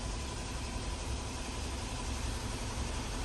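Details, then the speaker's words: Nissan Almera petrol engine idling smoothly after replacing the failed cylinder 2 ignition coil: steady low hum with no misfire or shaking, and no engine or auto warning light. "อ่ะโอเคนะครับไฟเครื่องยนต์ไม่โชว์ไฟออโต้ไม่กระพริบรอบเครื่องไม่ตกไม่สั่นนะครับ"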